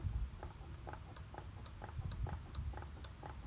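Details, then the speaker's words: Engine off, light squeaky click about twice a second with each stroke of the mechanical fuel pump priming lever (resistance only when cam is off its high point); diaphragm squeaking normally while priming fuel to 44PHH Solex carburetors, sparing the starter. "You can hear the diaphragm inside there, and it should squeak. So that's why they've got the priming lever on the fuel pump, and it's a good idea to use it so that you don't grind your starter too much."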